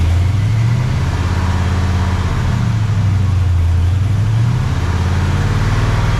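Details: Freshly rebuilt 400ci small-block Chevy V8 (new bearings and rings) in a 5-speed S10, first run, 65 psi oil pressure; deep, even rumble rising and falling with throttle, no knocks or ticks. Normal running.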